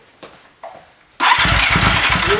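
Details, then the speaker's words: Husqvarna FE 350 dirt bike built into FE 366, first start after complete rebuild, once the loose spark plug wire was seated and the idle raised slightly: quiet clicks, fires instantly, crisp even idle; normal start and idle. "And then after that you just raised the idle a little bit, right? Just a little bit, cranked right over"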